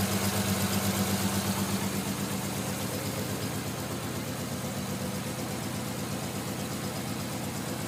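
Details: Non-turbo Nissan R33 at cold idle after sitting about 2 days and hard cranking: lumpy stumbling beat losing rhythm, louder first seconds, misfiring until about 10 minutes warm-up; coilpacks, injectors, gasket, fuel supply checked fine; cause unknown.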